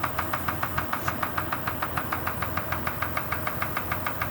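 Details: Kia Sorento at idle: sharp, even knocks at about three per second over a steady idle. Sounds like piston pin knock; unconfirmed.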